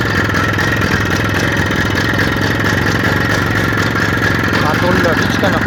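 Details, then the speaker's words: IZh Planeta 5 motorcycle, just started with its key-operated dynastarter, idling for a sale. Brisk, even two-stroke idle with a steady buzzing beat and no knocking or rattling; the seller says the engine is good. "Mana hozir yurg'izib beraman. Bismillahirrohmanirrohim. Dinamket kalitga ishlaydi."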